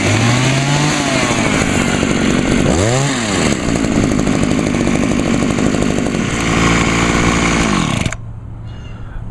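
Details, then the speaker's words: Homelite HT-21 hedge trimmer two-stroke after carburetor rebuild, on 50:1 gas-oil mix: raspy buzz sags and stumbles when throttled, bogging on acceleration; owner suspects the carburetor needs adjusting, likely turning the L screw out a bit. "this one may needs a bit of carburetor adjustments I think I probably need to turn the else screw out a little bit see it's sort of see it actually bogged out on me just when I was trying to give it throttle"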